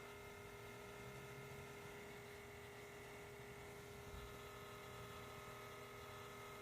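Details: 2017 Honda CR-V Touring 1.5L turbo, parked with the engine off for over 4 hours: faint, steady electrical-sounding hum that recurs and later shut off by itself. Humming with engine off.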